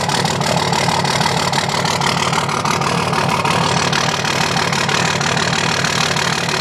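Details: 2005 Dodge Cummins diesel with loping idle and a regular skip in the clatter, about three beats a second; dead cylinder misfire from a bad injector not firing.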